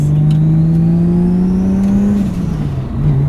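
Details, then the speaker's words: Nissan 180SX on a road test after a differential swap to cure a whine: engine note rises smoothly under load and eases off with no gear whine. The drivetrain is normal and the differential whine is gone. "Noise is gone. Can't hear anything, no whine at all."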